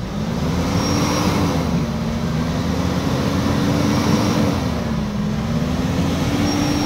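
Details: Mitsubishi Montero 4N15 diesel after repair for heavy black smoke and oil pushing out the dipstick (blowby): piston rings, injector washers and head gasket replaced; revs up and settles smoothly, no misses or knocks, exhaust now smoke-free; healthy.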